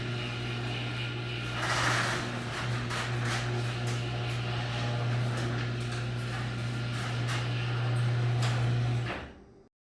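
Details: Garage door after its dry, dirty hinges were sprayed twice with garage door lubricant: smooth run under a steady motor hum with light rolling clicks and no squeal, stopping at the end.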